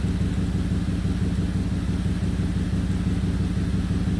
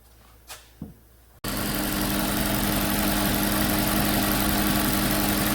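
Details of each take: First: 2008 Audi Q7 4.2 V8 idling with a rhythmic puffing pulse from an exhaust leak at the left-side catalytic converter, whose expansion joint has failed; also history of misfires on startup. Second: 2008 Audi Q7 4.2 V8 with a history of misfires, worse on hot restart, after injector replacement and intake valve cleaning: clicks, then a smooth, even idle; about 25 bar fuel pressure.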